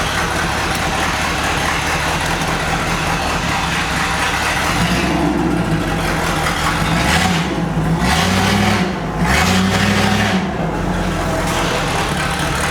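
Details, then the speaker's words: 1963 Ford Thunderbird V8 after sitting 35+ years, on old plug wires and an untuned carburetor: catches and settles into a fairly even idle with clean rev blips. Running well, though it later smokes from oil burning off and may be boiling over. "I think that sounds like a nice engine if it runs that well on the garbage wires and >> garbage carburetor that's on there and nothing's set up."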